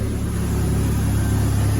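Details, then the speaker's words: 1996 Toyota Tacoma after a head gasket job, previously cranking but not starting with the airbag light on; fixed at the under-hood diagnostic port that had been relocated: engine fires and runs smooth and even, revs rising slightly; normal running. "so right now it's fixed push that truck fires right up"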